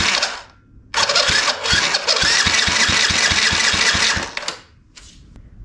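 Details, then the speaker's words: Yamaha restoration engine, repeat compression test cranking with throttle open: quick, even cranking beats about four a second, strong and regular; compression great, healthy on every stroke. "let's try that again dude that is great compression throttle open"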